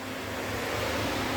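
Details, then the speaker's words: DA Integra electric radiator fan on a new 30A relay with factory OEM fan switch: steady even rush of air, faint constant hum, no rubbing or ticking; pulls air correctly, polarity right; fan healthy. "but as you can see it is sucking the air cuz it's pushing it this way"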